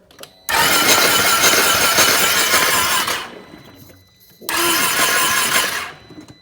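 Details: Flooded salvage 2020 Can-Am XMR 850 ATV turned over with both spark plugs out: two bursts of harsh hissing spray as clean water is blown out of the cylinders; engine apparently not locked up.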